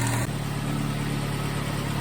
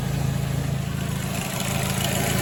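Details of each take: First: 2006 Ford Focus ZX4 at idle after idler pulley replacement: steady, even low idle with no rubbing or chirping from the belt side; normal idle, noise gone. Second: 2006 Ford Focus ZX4 at idle on ramps, before repair: faint dry rubbing hiss over steady idle from the belt drive; worn idler pulley bearing, pulley to be replaced.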